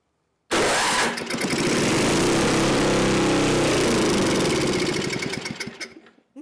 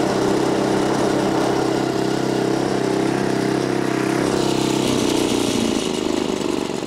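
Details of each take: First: Neglected older Craftsman snowblower, sat years in a shed, leaking fuel, run on electric start: fires and runs hard a few seconds, then sags, stumbles and dies; seems fuel-starved, carburetor passages possibly gummed. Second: Neglected Craftsman snowblower, small single-cylinder, in cold weather after being flooded: runs steady and strong, then slows and stops cleanly with no misfire or knock. Normal running.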